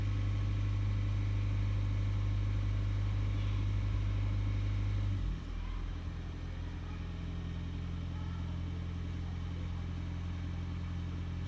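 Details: Toyota Auris Hybrid / Prius: a steady low hum with a constant tone that drops and settles about halfway through. Whining noise from the hybrid drivetrain, cause unclear.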